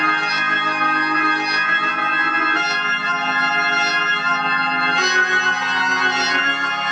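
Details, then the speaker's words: Sustained organ chords come through clean and full, no crackle, hum or breakup, on the tube amplifier after replacing cheap 0.047 µF 1600 V and 0.1 µF 600 V capacitors with Cornell Dubilier caps; tubes not running hot, amp ready. "everything sounds good looks good brother Matt I believe you your amplifiers ready"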